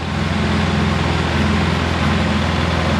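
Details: Polaris Sportsman 700 ATV during overheating troubleshooting, after a radiator swap, with the cap off and readings from 70 to 163°F as the thermostat opens: a steady even idle with no knocks or misses, not overheating.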